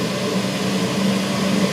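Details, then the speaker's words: Old boiler-room cascade burner running after a Siemens RLU222 controller replaced a Polygyr RWF21.20, set to stop at 72 °C flow: steady even roar with low hum, no pulsing, knocking or flutter; burner firing cleanly and running normally. "Donc là le voleur on l'entend, il est en train de se mettre en marche. Et donc là il va s'arrêter à 72 degrés"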